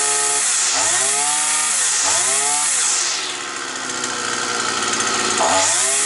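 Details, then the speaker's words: Petrol brush cutter that used to start, then cut out; a bent crankshaft was found. After the repair revs rise and fall in sweeps, then settle into a steady high run with no cutting out, and the flywheel runs true: normal running. "То говорить про то друзі що наш маховичок вже ходить рівнесенько я би так сказав"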